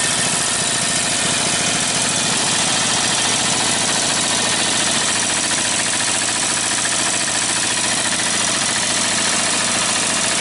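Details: Briggs & Stratton 18hp opposed-twin with dual carburetors and dual exhaust, newly fitted to a go-cart, running out the gas: even, fast exhaust beat, bright raspy tone, steady level; healthy normal running.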